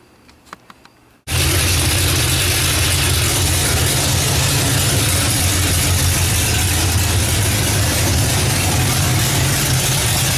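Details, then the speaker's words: Oldsmobile Cutlass after engine swap, coil fed from battery via new wire, no antifreeze yet, brief run: catches after a second, idles with slightly lumpy, uneven beat; misfire, owner suspects plug wires. "so there's something firing right though still what i'm like it's missing still check those wires"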